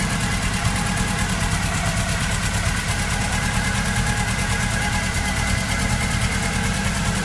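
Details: VW Golf Mk1 DX engine: rough, uneven beat with a rhythmic chuffing pulse about three per second over the idle, caused by a head gasket blown between two cylinders.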